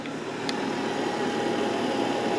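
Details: Carrier gas furnace, first start of the season after a delayed start: a single sharp click, then a steady low burner rush with a faint hum. The burner lights and holds normally.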